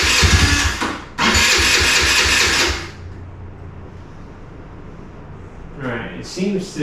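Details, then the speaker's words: 2017 Kawasaki KFX50 kids' ATV, sat unused several years, fuel on, primed through open air filter, kill switch bypassed: catches with a short rough burst then dies; only runs on prime, carburetor possibly out of adjustment. "still only be running on prime or the carburetor is out of adjustment to the point that it won't run"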